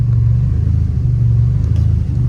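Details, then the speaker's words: Turbo Nissan Silvia S14, 144,000 km, cold start: deep, lumpy, pulsing uneven idle as the engine goes into limp mode; smooths out once warmed up; hard to keep running cold without pumping gas. "It's going into the lump mode now. It's pretty funny. It smooths out once it warms up."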